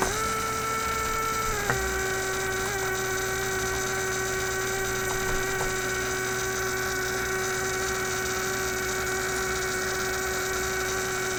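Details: Bench power supply feeding a 1967 Heathkit Project Kit AM transmitter build: constant hum that steps down in pitch once then holds steady, persisting with circuit power disconnected; the noise comes from the single-wire bench supply itself, not the circuit.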